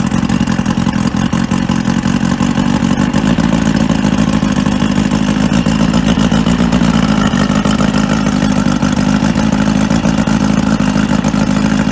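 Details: Outboard motor on a 1995 Spectrum 16 Dominator boat, sitting 22 years, run on water muffs with fresh fuel after a spark check: fast, even, rattly buzz with steady firing and no misses; normal running.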